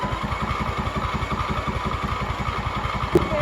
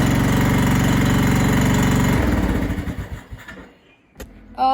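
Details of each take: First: MTD Yard Machines mower with 14.5 Briggs engine, sat over five years, new battery, fresh gas: steady starter churn about three pulses a second, never fires; cranks but won't start despite spark and gas, owner suspects fouled plug. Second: MTD Yard Machines mower with 14.5 Briggs engine, after fitting a new carburetor: small single firing steadily and evenly at fast idle, then winding down smoothly to a stop; runs properly.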